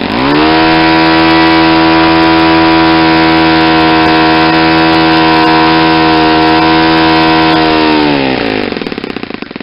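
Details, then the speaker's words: Saito 50 four-stroke on its first run after a rebuild (new ring, new bearings), warm, APC 11x7 prop, Omega 10% fuel. Needle leaned near peak RPM: a steady high note held evenly at top revs, then it sags and quits as the tank runs out. "I'm going to lean it out now so you can see the difference in the amount of smoke for exhaust and the sound see how much the exhaust most decrease how the sound of the engine picked up an RPM I was getting near the peak"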